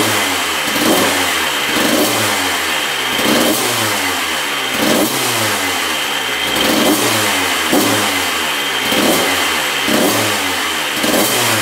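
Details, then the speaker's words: 1994 Honda CR125 two-stroke after the repair, with zero leaking at the cylinder: crisp, ringing blips rising and falling about once a second with quick, clean throttle response. Throttle response is much better and the engine sounds healthy. "good all right that sounds much better you can see the Thal response is much better so I think this one's fixed"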